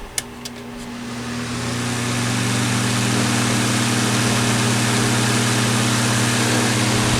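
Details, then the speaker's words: Older Honeywell HT-803 turbo fan with noisy motor bearings, worst when tilted back, bad when level too; steady rushing airflow over low droning bearing hum, before trying extra bushings/washers. "hello viewers here is a Honeywell turbofan this is the older model it is number HT 8:03 and a bearings are a little noisy"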